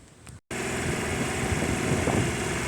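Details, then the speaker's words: Honda CB250 cafe racer on a 112 main jet, cold start: catches and settles into a fast, even, raised idle on choke after it just needed a bit of choke to fire. "So it's on. It actually just needed a bit of choke. The choke is on right now."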